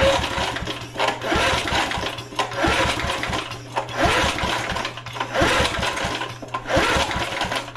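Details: Vintage heirloom pull-start lawn mower: rhythmic pulls about one a second with no catch or firing, even after a small dab of ether. The owner suspects no spark and tests with a new spark plug. Cranking no-start.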